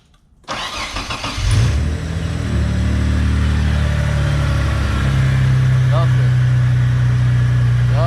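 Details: Mitsubishi 3000GT VR-4 after installing AEM fuel pressure regulator and gauge, new fuel pump and fixing boost/vacuum leaks: rough stumble at start, then revs settle into a deep, steady idle that smooths out and holds; running properly.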